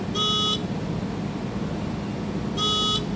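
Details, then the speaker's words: 1988 Mazda RX-7 rotary that won't start, checker connected with key on: shrill half-second beeps a couple of seconds apart, the diagnostic buzzer flashing out stored code 03 as three beeps. "03 beeping three times. I don't know if y'all can hear that."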